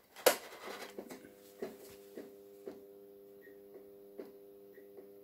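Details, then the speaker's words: Recovered fluorescent tube that makes an odd noise and has a compressed-looking base, tested in a fixture: low mains hum with faint irregular ticks as the starter keeps trying, but it only flickers very little and never strikes. The tube is faulty. "Et bah, ça sera pas pour cette fois-ci. Regardez-moi ça. Le tube, il a un problème là. Il clignote très peu."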